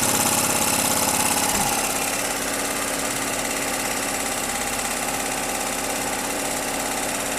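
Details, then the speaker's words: 2.5 kW Ress petrol generator after long storage, with the binding adjusting screw freed (suspected dirt from sitting): catches and settles into a steady even buzz about three beats a second with no misfires; normal running. "генератор запускается. То есть проблема заключалась в том, что он чихал, а вот этот регулировочный винт вот здесь."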